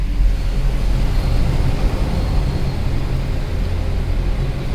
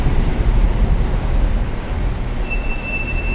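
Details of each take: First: Mercedes C63 AMG after a winter, with rotors, calipers and pads washed, rolling to complete stops: only low road rumble and no squeal or scraping; the brakes are now quiet. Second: Mercedes C63 AMG creeping to a stop at low speed, before its winter-grimed brakes were cleaned: a thin, steady high squeal over low road rumble; brake squeal suspected to come from dust, salt and grime.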